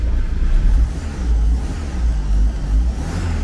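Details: Fiat 147 engine swapped into a Fiorino pickup, exhaust not yet finished, car on stands with loose suspension parts vibrating: revs rise and fall smoothly with a round, even note, no knocking or missing; engine healthy.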